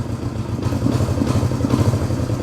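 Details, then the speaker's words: 1971 Honda CB350 twin, said by a previous owner to have low compression: lumpy idle whose beat shifts unevenly as the throttle is worked, one carburetor not moving with the other; throttle uneven, carburetors unsynchronised. "You hear the engine change? That one hasn't moved yet. So, right off the bat, we know that the throttle is not even."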